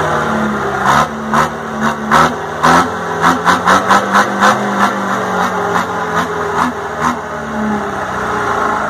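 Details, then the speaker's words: Detroit 4-71 two-stroke diesel from a generator that sat about 25 years under cover: steady drone with crisp throttle blips rising and falling cleanly, no knocks or misses; sounds like a healthy engine. "I'm not sure how they're supposed to sound really but I think this is a pretty good candidate"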